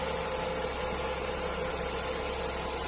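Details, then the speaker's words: Renault Clio 4 1.2 TCe after repair of its clacking timing chain, restarted with fresh clear oil and warmed a little: smooth, even petrol idle with no more clacking, and engine power restored. "les freins ça siffle pas magnifique et le bruit moteur on est bon et la puissance moteur est revenue voilà nickel parfait"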